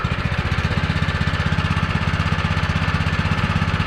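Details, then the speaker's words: Rebuilt old mini bike for GPS180 endurance race, first run after new clutch fitted and gas and oil added; small single thumps about four firings a second, even with no knock or misfire. "We got the gas in it. We got the oil in it. Go ahead and turn it on and give it a first start."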